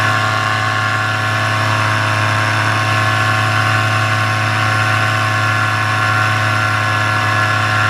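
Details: Paramotor in flight just after launch, full fuel tank, motor under an hour of flying time, full throttle: steady, unwavering high drone with no dips or surging; healthy two-stroke pulling clean before the later bogging and failure.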